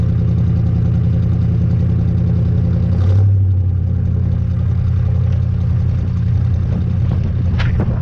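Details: 1986 Chevy K10 carbureted truck, carb and choke recently tuned, sat about 1.5–2 months in a tarp garage, cold at about -6: low steady burble, brief rise in revs, then an even idle without misses or stumbles; normal cold idle.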